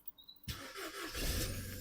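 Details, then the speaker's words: 2005 Ford Fiesta with a faulty key barrel, fitted with a basic push-start switch, button pressed with the engine not set to start: after a quiet moment the starter spins the engine with a steady, even churn. Healthy starter cranking, no start. "however it won't start it's cranking"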